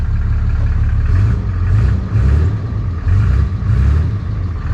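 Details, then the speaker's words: Salvage-auction four-wheel-drive diesel: deep rumble swelling and easing with each throttle blip, smooth and even with no knocks; healthy engine revving. "Sounds good, guys. It sounds healthy. It does sound healthy, but yeah, there's a few things that are a little concerning, man."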